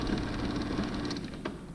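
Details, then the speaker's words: Used garage door opener, rail being lengthened for a 12 ft door: steady motor drone with a rough, gritty rattle throughout; owner suspects a worn gear inside, unit to be opened. "i am concerned about that noise i think taguira's going i'll have to open this up and look in there"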